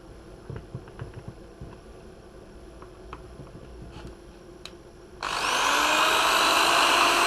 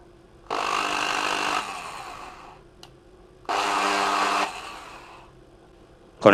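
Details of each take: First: Bosch corded drill after repair that fixed a strange noise and low speed: after handling clicks it spins up smoothly with a steady whine, now running normally with new brushes, a cleaned motor housing and a replaced power cable that had a poor contact. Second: Bosch corded drill before repair, running slow: two short bursts of rough buzzy whine, then winding down; brushes were worn, later a dirty motor seat and poorly contacting power cord were found.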